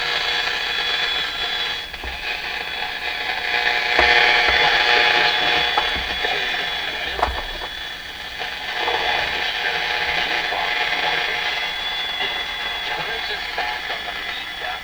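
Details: Sony TR712 transistor radio after replacing four red moulded capacitors, playing music on a sports station: harsh, crackly, buzzy output with almost no bass; distortion persists, cause still unknown.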